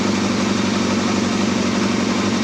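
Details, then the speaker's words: Yamaha Thundercat motorcycle, fully reassembled after strip-down, first start with choke on: smooth, even warm idle with a steady beat and no knocks, ticks, rattles or leaks; engine sounds sweet and runs cleanly. "That sounds sweet now. I can't even hear no engine noise on that. That sounds lovely."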